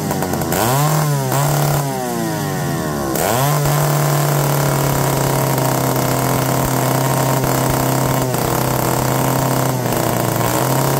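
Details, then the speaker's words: McCulloch D44 chainsaw, unrun for 15 years and a known hard starter, revived: revs up then steady buzzing run with brief dips, cutting out here and there; cause unconfirmed. "you can kind of hear it cutting out here and there but it fired right up"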